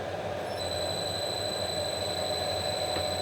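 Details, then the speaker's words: DIY CNC router spindle driven by an inverter: the inverter knob is set to slow speed. A steady high inverter whine over a low, even hum, with no rubbing or rattle, as the spindle turns smoothly in the correct direction. "yep and the spindle is now rotating at a rather slow speed and it is going in the correct direction"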